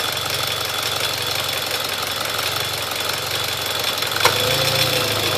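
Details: Mitsubishi Evo X GSR at idle, heard from outside the car, not audible inside: light fast ticking about three per second over bright idle hiss, louder than before; confirmed normal, many trouble-free miles since.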